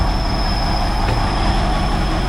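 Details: 1969 Chevrolet Impala running on its own again after 20 years of sitting. Rumbling, uneven idle with a thin, steady high-pitched whistle over it; rough idle, intake air leak suspected but not confirmed.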